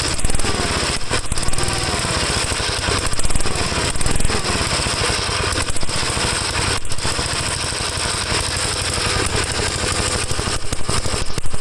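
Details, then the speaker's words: 1954 Gravely tractor recorded right at the muffler, with the cleaned carburetor (which had many clogs) not yet back on: a loud, ragged, surging single-cylinder chug that never settles; the engine runs rough. "terrible i hope that wasn't too loud for you add this right up to the muffler but i want you to hear how bad it runs"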